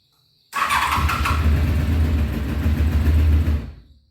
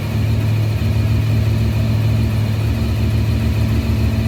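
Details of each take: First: 1993 Honda VFR750F, sat over a year, cool engine, before carb cleaning: catches, runs rough and uneven about three seconds on full choke, dies with throttle; gummed carburettors, runs only on full choke. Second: 1993 Honda VFR750F, carbs cleaned, after sitting over a year: steady, even low burble at about 1200 rpm, no misses or knocks; normal smooth idle.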